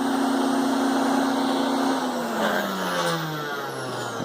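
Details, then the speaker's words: Hoover Spectrum 950 canister vacuum: steady motor hum, then after switch-off the pitch slides down with an extra whirring tone winding down; the source of the whir is unknown. "Not really sure what the extra whirring sound is at the end when it goes off."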